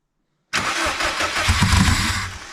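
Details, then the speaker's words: Subaru WRX, sitting almost 4 years, first start without exhaust, intercooler or radiator after security mode reset; starter whirs, engine catches into uneven, lumpy idle with wavering revs; MAF sensor suspected, cause not confirmed. "So, start it up. It's not going to want to idle very well."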